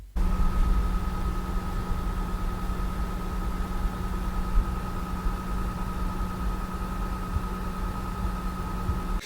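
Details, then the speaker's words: PS5 console: steady piercing high-pitched power-supply coil whine over low fan rush, audible across the room on this unit, caused by power draw. "But alongside the audible fans, there's also a very noticeable coil whine, which is simply caused by the power being put into it."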